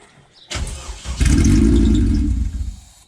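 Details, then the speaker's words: K20 engine swapped into EF Honda hatch, first start attempt with immobilizer-off tune and fuel pump bypass unfinished: starter cranks about two seconds, never fires because fuel pump isn't powered; burnt smell noticed afterward. "started no fuel pump is off"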